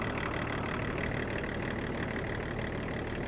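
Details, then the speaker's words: Land Rover Range Rover P38 2.5 diesel after coolant refill and bleed, idling 20–30 minutes, temperature gauge just below halfway: even steady diesel clatter with no misses, knocks or hunting; normal idle. "she's been idling now for a good 20 30 minutes so far so good"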